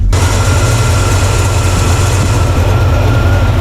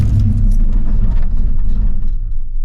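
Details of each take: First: Blueprint 350 V8 in a C10 after advancing timing to just past 15 degrees: deep, even idle about 600–650 rpm with no stumble, running much better than before; engine had been idling under 500 and dieseling. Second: Blueprint 350 V8 in C10, driven until hot, idling too high, timing set high, poor vacuum; after key-off a low uneven rumble keeps running then dies over seconds, dieseling run-on, cause suspected not confirmed.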